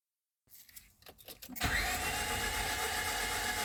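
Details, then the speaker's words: 2005 Honda Civic 1.7 D17A1, 307,996 km, cranks steadily but never catches or fires; started, ran 10 seconds and stalled after oil pan and valve cover gasket replacement, now crank no start; flooding suspected. "and ran for 10 seconds and then it stalled and now it just cranks but it won't start"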